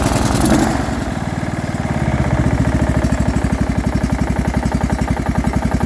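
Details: Craftsman small single-cylinder engine after quick build, idling: quick choppy idle with hard-edged pulse each firing; engine has some noise, possible knock, cause not confirmed.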